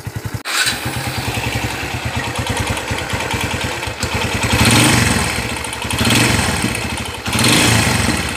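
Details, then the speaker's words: Kawasaki Barako 175 single-cylinder motorcycle after overhaul (connecting rod, two crankshaft bearings, rebored scored cylinder) starting and settling into a steady, even idle with clean throttle blips: normal idle. "yan ang tunog ng barako napaka smooth wow"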